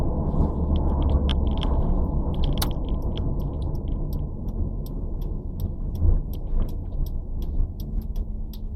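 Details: Nissan Sentra B14 with bad spark plug burn on all four cylinders, plugs replaced and a valve cleaned, owner suspected rodent-chewed wiring: deep uneven idle rumble with irregular stumbles and loping beats; rough idle misfire.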